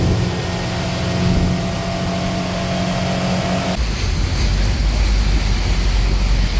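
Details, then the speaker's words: Volvo Penta engine in a Regal boat, after a leaking fuel injector was fixed and exhaust fitted, at wide open throttle: deep steady roar, no stumbles. Tach reads 6,500 rpm, which the owner doubts; temperature at or below 175, oil pressure and volts good. Normal. "well i think we're good except for our attack is off it's at 6 500 rpms when we're wide open there's no way but our temperature hasn't went above 175 on the gauge here oil pressure has been good got good volts"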